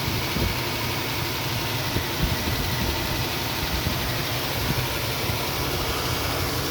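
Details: Nissan Xterra at idle: lumpy idle with uneven puffs and occasional stumbles breaking the rhythm; engine misfire, cause unknown.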